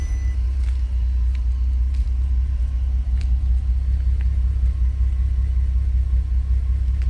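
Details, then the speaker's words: Audi TT with 3.4 L VR6 turbo on factory management, test drive after fixing an unplugged drive-by-wire throttle: deep steady rumble, no misses or knocks; slight cough as capacity is down versus a 3.2, otherwise running properly. "It does cough a little bit because it is down on capacity as far as the 3.2 would go, but all in all, seems to go pretty good."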